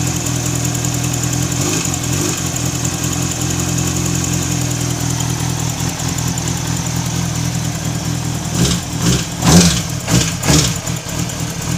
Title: zx6r strange noise. Bent valve?